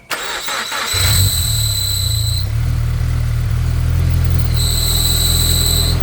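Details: Turbocharged Subaru BRZ: engine starts to a heavy rumble with a shrill squeal coming and going from a failing clutch throw-out bearing; the pedal feels weird and the car can barely move forward or backward.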